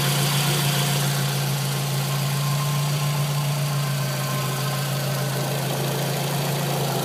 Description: What it sounds like after installing a new water pump. No more scraping/scratchy sound coming from the engine.